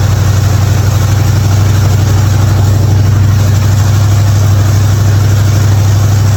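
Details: '55 Chevy hotrod V8, long-sitting car, after a spark plug change for popping: deep, steady burble with even beat, no misses or knocks, healthy idle.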